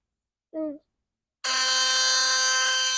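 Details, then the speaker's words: Philips Sonicare HX684B electric toothbrush, vibrating strongly and cleaning poorly: loud, harsh, raspy buzz when the motor starts, typical of a loose screw or broken drive pin. "Як бачите типова проблема або шуруп або зламаний штифт"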